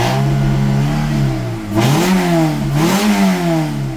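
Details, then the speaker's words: Car fitted with a swapped immobilizer-delete (unlock) ECU, fuel pump sounding fine: idle wavers, then two quick rev blips sag back down, won't settle to steady idle; owner suspects software mismatch from the car's eccentric (cam) mod, unconfirmed. "Saçmalama gitti. Bırakalım. Rölantide duramıyor. Bu bence benim yazılımımla alakalı."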